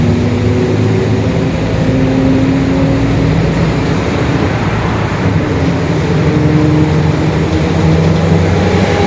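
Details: 2021 Marcopolo Torino S urban bus on Mercedes-Benz OF-1721 Bluetec 5 chassis, extended, under way: low droning growl rising and falling with road speed over the engine. Differential whine.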